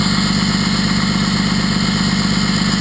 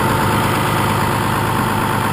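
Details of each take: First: 6.2L Cummins with throttle-linked exhaust brake, heard from cab: steady loud deep jet-like roar with even pulse, no misses or rattles; exhaust brake working normally with strong braking, though switch is intermittent and wires are unsoldered. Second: 6.2L Cummins diesel with exhaust brake fitted: steady, even diesel clatter idling slightly high, guessed at about 1000 rpm with no tachometer. No misses or knocks. High idle speed.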